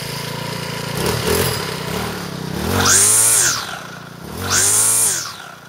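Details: Troy-Bilt four-stroke weed eater after clutch repair and reassembly, started cold on half choke with lots of priming; two clean revs climb to a high buzzing whine and drop back to an even idle, no misses; runs healthy.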